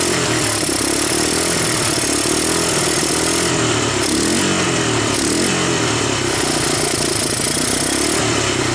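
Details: 1985 Honda ATC250ES Big Red single-cylinder after carburetor swap and adjustments, warmed up, choke off: even, steady idle, no misses or surging, some hiss; valves untouched; not a bad idle; normal idle.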